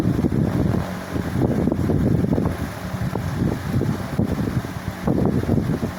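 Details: 1979 Cirrus 70 cm metal pedestal fan (150 W, 110 V, 4 µF capacitor, heavy blade) at maximum speed: steady rushing air with a gusty low rumble. A bit noisy, but no clear knock or rub, and it moves air very well.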